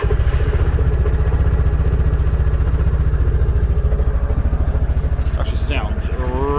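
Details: 2008 Yamaha Rhino 700 UTV, high mileage, idling with a steady, even single-cylinder thump and no knocks or rattles; healthy normal idle.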